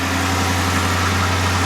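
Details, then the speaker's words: 2011 Dodge Charger R/T HEMI with disappearing coolant, just refilled with fresh coolant and bled, heater on max, warming up; deep, steady idle with smooth low rumble, no ticking, knocking or stumbling: normal idle. "And we're just gonna let her run for a couple minutes. Make sure everything's circulating, percolating like it's supposed to."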